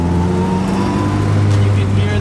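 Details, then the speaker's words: After stiff Hasport engine mounts were installed on an EG Honda Civic, loud transmission whine, dog-box-like, is carried into the cabin under throttle over steady engine drone, with rattles felt through the car. "can hear the trans, like actually it sounds like I have a dog box right now, like it's gnarly."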